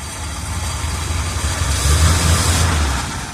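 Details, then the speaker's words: 1978 Chevrolet Custom Deluxe truck, engine freed from being stuck after sitting for years, carburetor had water in bowl: low rumble with irregular stumbling pulse rising and sagging; not idling great, cause unconfirmed. Rough idle. "So the engine was originally stuck. We got that unstuck. We managed to get it to start and run. It's not idling great,"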